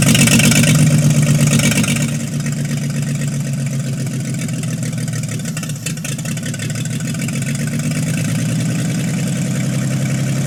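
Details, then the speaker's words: 1952 International L130 (ex-pickup, snowplow doodlebug) stock petrol engine, first run after years sitting; throttle fixed from stuck open, points sanded. Loud, raw, even idle with steady low beat and open-pipe bark: normal idle, compression test still pending. "I am psyched to hear this engine run in who knows how long. and actually idling nonetheless."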